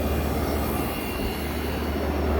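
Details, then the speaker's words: 1965 Fedders Weatherwheel air conditioner on high cool, condenser fan motor running beside the 4-row condenser. A smooth, even low hum with no ticking, rubbing or bearing growl: the fan runs normally. "There's the fan running. It's running smooth."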